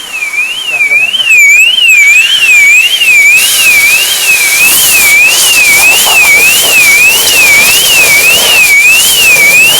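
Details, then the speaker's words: 2010 Mercedes Vito: loud siren warbling up and down about twice a second without stopping; aftermarket alarm with no remote fob, thought shorted out by water after washing. "I don't think it's even got an alarm on it. Well, it obviously has because it's making that bloody noise. But there's no remote fob for it."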